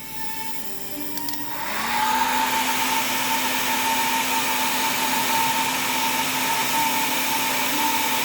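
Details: Dynavoice D-Amp amplifier being troubleshot; after a few seconds a loud steady hiss and rush with a thin tone swamps the music, attributed to a bad capacitor.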